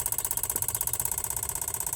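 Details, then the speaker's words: Van idling while a scan tool commands the old evap purge solenoid at 10–30% duty: rapid even clicking about fourteen a second over the idle; normal, since a new solenoid clicks the same way. "So it starts at 0 and it increases by 10% increments. That's 10%. That's 20. And that's 30. Hopefully you can hear that clicking noise."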